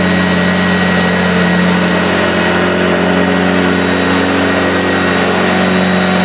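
Smooth, steady motor hum at one even pitch, no rattles or speed wobble; this old upright is running in good health.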